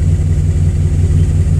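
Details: Chevy with failed ignition coil pack on cylinder number one, before replacement: uneven, lumpy low thump at idle with faltering pulse, running rough; misfire from failed ignition coil.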